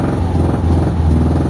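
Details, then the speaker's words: Mitsubishi Lancer "itlog" stored for a long time: just started after the weak battery was replaced. Low, lumpy, stumbling idle, a misfire at idle; cause not yet confirmed. "Palyado siya, palyado. Pero maganda, napaandar natin."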